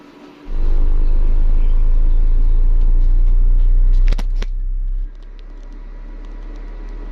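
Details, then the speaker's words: Ashley LF18 V400 18-inch subwoofer after voice coil replacement, frequency sweep test: deep, steady low tone around 20–25 Hz, clean with no rubbing, buzz or rattle; the driver is playing properly after the repair. "Oke, kita dengarkan dulu. Nah, ini dari 20 Hz. Wah, mantap."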